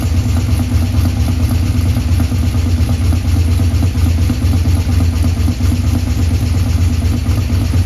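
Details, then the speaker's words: 1984 Ford F150 V8 first start after tucking the underhood wiring harness, fuel system primed: loud idle with an uneven clattering beat about twice a second over the rumble; abnormal noise, cause unknown, spark plugs looked fine. "It fired up there. Got a wild noise coming over here. I don't know what that noise was."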